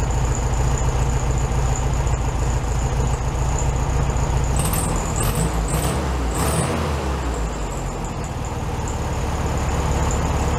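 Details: 1967 VW Beetle 1500cc, warm idle after carburetor refitted on new base gasket (second repair); even, unbroken putter about three and a half beats a second, a touch fast; healthy idle, slightly high.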